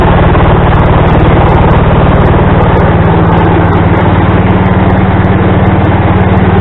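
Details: Craftsman tractor with adapted 42 or 48 inch snow blower, belt tightened with a salvaged mower-deck tensioner pulley: steady even low engine beat at constant speed, no misses, slips or knocks; running smoothly.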